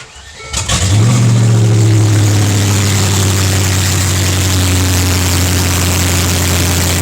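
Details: Land Rover Discovery after transmission replacement, first start: short crank, catches within a second and settles into a steady, even idle drone with no knocks or misses.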